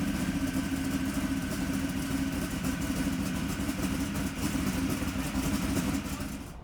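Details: 711 cubic inch Sonny Leonard twin-turbo Hemi in a 19-foot Placecraft jet boat, first fire after nearly six years of building: big V8 running steady and rough-edged with a deep throbbing exhaust and a faint hum above; fired up and running.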